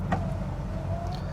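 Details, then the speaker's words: 1984 Jeep Grand Wagoneer Limited 4x4, parked, interior: power window motor hums smoothly at even pitch from start to stop, no grinding or binding; power windows, locks and mirrors all work. "got the back. And then look at that, power windows all work, and the power locks work."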